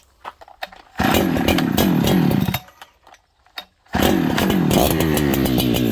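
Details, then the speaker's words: Farmertec 288 kit chainsaw just after oil pump repair, before carb tuning: bursts to a rough blubbery high rev, then sags and nearly dies between blips; running very rich and won't idle. "I gotta tune this thing it's uh it's really unhappy it's it's very rich right now it doesn't want to idle"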